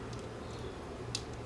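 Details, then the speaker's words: Camcorder tape mechanism turned during teardown: light even ticks over a low motor hum from the toothed drive belt, likely a grain of sand or dirt caught in it; ticking belt, harmless. "A little grain of sand or something gets in here, and then every time this turns around, it goes tick, tick, tick, tick, tick. The belt ticks."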